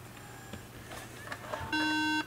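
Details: Apple MacBook Pro 13in A1278 with a RAM module popped out in shipping: after reseating, one steady half-second high beep still sounds in a quiet room, the memory error warning; suspected bad or mismatched RAM module and bad RAM slot.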